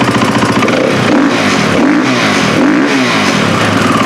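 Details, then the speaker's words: KTM 450 XC-W dirt bike with suspected head gasket leak, some smoke at startup: busy single-cylinder blipped through revs with a light quick tick on top. Normal follower tick from the overhead-cam valvetrain. "It's got a ticking in the motor, but I think that's just the valves."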